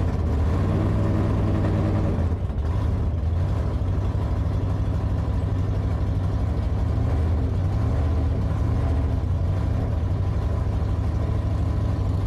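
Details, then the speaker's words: Hemi-powered drag car being tested before a drag week event: loud, rough, uneven, lumpy idle with one cylinder dropping out. Turning the two-step off did not fix it. The misfire was caused by a broken valvetrain part, repaired with spares. "doesn't sound good it don't sound good it sounds like it's misfiring yeah his uh it did this when Tony drove it"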